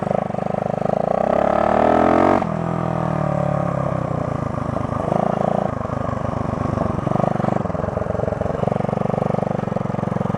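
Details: 1972 Honda SL125 yard-sale bike with new battery, cold start with choke on: small single fires and settles into a steady, even putter, pitch easing as it catches; healthy cold-start idle.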